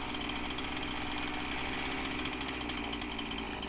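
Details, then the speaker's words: Husqvarna 346XP chainsaw: smooth steady high buzz without surging, chain no longer dragging, carb-clean test shows no leak; base gasket air leak fixed, carb roughly tuned. "did our carb clean test didn't have any problems i'd say we got our leak fixed"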